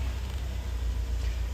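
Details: 2005 Mercedes A170 after a crank-no-start repair (no crankshaft sensor signal, wiring spliced and soldered, ring refitted, codes cleared): smooth even idle with no knocks, misses or rattles, no check engine light; normal idle.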